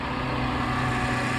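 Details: Mercedes bought cheap with a dead battery, jump-started from another car: steady, even engine note with no knocks or misses, a smooth healthy idle despite electrical issues.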